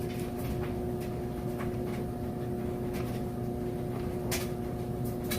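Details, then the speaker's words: Maytag Super Capacity Plus electric dryer on timed dry with heat set to high, drying jeans: steady, even drum rumble with a smooth motor tone and faint tumbling ticks, no knocks or squeals; normal dryer operation. "as you can hear it sounds great it's a nice smooth operation"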